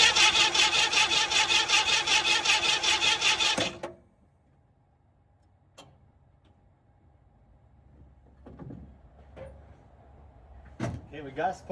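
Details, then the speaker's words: 1967 Ford Mustang (302 V8, factory 289 car) sitting in a barn since 2008, cranked with a spark tester fitted: steady rhythmic cranking about 2.5 turns per second, no catch; fuel pump not delivering fuel, cranks but won't start. "Still not pumping any fuel. So, that stinks. But it did fire."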